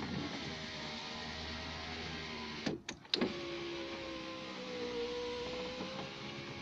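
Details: Citroen BX power window after greasing/lubricating the runners to cure slow winding: even, steady motor whir with a brief pause at the stop, then a smooth run; window moves freely with no strain, much faster, like new.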